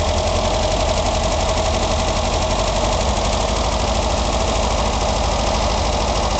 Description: I just adjusted my valves, but it is still making this noise.